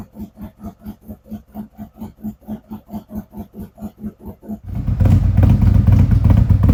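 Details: 2017 Harley-Davidson Ultra Limited 107 just after a Thundermax ECM install and fuel pump work, on a fresh cold start: a steady loping V-twin idle with a throttle burst, settling in and improving as it warms, AFRs in range; normal cold idle.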